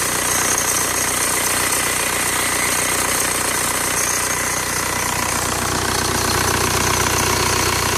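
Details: VW TDI ALH diesel at idle: a fast, uneven metallic rattle about three per second, loudest at the top of the engine, coming from the serpentine belt tensioner.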